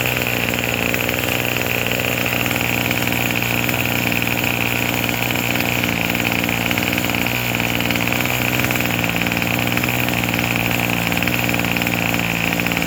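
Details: Craftsman 27cc two-stroke string trimmer, made January 2013 and obtained free: it buzzes at a steady, even idle with no misses or surging and runs clean; normal running and idle, sounds pretty good, though it is smoking.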